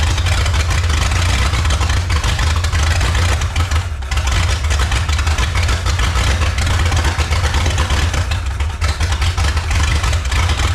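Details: 1954 Chrysler New Yorker 331 Hemi V8, over 50 years in a salvage yard, roughly 5 psi fuel pump with no regulator: loud, uneven, stumbling idle that never settles while it pours fuel; cause not confirmed, owner says it needs a tune-up among other things.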